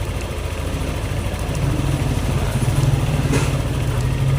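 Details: Yamaha Aerox scooter after throttle body and injector cleaning and ISC reset: smooth settled idle, steady even putter with no knocks, hunting or misses; no fault codes, healthy.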